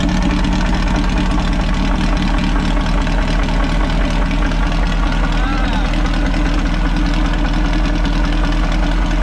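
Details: Possibly 1973 VW Baja Beetle, air-cooled, long-stored with no air cleaner, started after choke adjustment and throttle cable lube: deep, steady low chuffing at idle, even beat, no misses or stumbles; idles smoothly.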